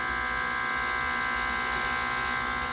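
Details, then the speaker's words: Autolock portable two-speed airbrush compressor kit running while spraying water: steady even motor buzz with airy spray hiss, no knocks or surging; normal running. "Okay, let's push the second one. That's the second speed. You can hear the sounds. It's more so the level when the volume is up."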